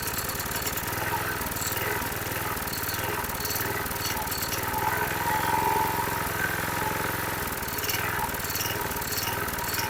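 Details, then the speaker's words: 2005 Troy-Bilt 21" push mower, engine 129K02, just started after priming: engine speed rises and sags every second or two; the primer bulb smooths it, then it surges again, showing fuel starvation, probably carburetor deposits. "you heard it hunting I went ahead and used my primer bulb to slowly push fuel up into the the throat and as I did you you heard the engine smooth out without giving it fuel it went back to surging surging surging so we're starving for fuel"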